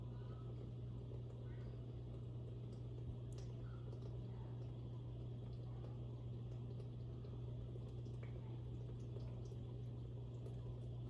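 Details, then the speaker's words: Dishwasher after noise repair (foreign plastic and glass pieces removed from the strainers/sprayer area) on a rinse-only fill: steady low motor hum under splashing, trickling water, no rattle or grinding; earlier loud humming during wash is gone, operating normally. "there you have it folks operating as it should"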